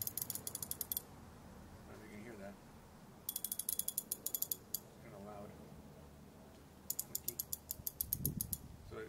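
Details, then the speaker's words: Ko-ken 3776N Rotohead ratchet, apparently held together with a spring clip and light back drag, giving bursts of sharp, fast, evenly spaced loud ticks when turned; may need grease — loud ratchet clicking. "Looks like it's put together with a spring clip here. Kind of noisy."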